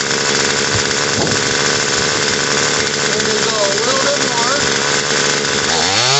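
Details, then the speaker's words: Murray M2500 attachment-type two-stroke trimmer, after carburetor and fuel line replacement and the high-speed screw adjusted counter-clockwise: steady fast buzz instead of settling. Idle is too high and the clutch-driven head spins; the idle screw will be turned down. "now we have idle is a little bit high so we got an idle screw right here we're going to idle this down until the head stops spinning"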